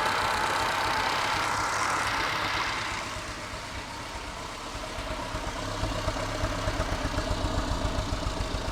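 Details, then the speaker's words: Test engine that was missing on one cylinder despite excellent compression: uneven at first, then the firing pulses settle into a faster, more regular beat as it smooths out. Normal running. "You can hear it's getting better and better. pretty well convinced."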